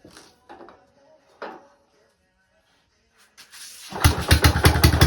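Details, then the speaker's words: Pennsylvania Panzer T758es garden tractor, small two-stroke fed from an oil can of 2-stroke mix after sanding rusty kill-switch points contact; quiet fiddling, then it catches about four seconds in and runs with a quick, slightly uneven popping beat: a runner. "she's a runner. So I was just running that off of this oil can that I keep full of 2-stroke."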